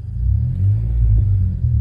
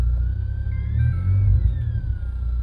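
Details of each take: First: Car stereo with a second amp added: low, steady engine rumble from inside the car with no high whine from the speakers after installing a ground loop isolator, which eliminated the alternator whine. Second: Thin alternator whine through a car stereo rising and falling with engine speed as the engine is revved, appearing after a second amp was added to the subwoofers; stops when stereo power is cut, before fitting a ground loop isolator.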